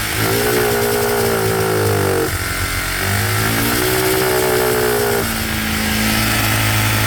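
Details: Cheap monkey bike (small single) that still smokes after a new head gasket, with new piston rings and cylinder still to order; carb mixture screw just reset. It revs up crisply twice and drops back to a steady idle without bogging, very loud; nearly dialed in, needing slight fine tweaking.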